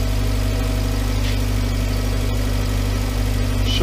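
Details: Volkswagen Voyage, EA111 engine, 2011, after water pump, timing belt and tensioner replacement: even low idle pulse about four per second, no ticking, squeal or knock; engine idling normally.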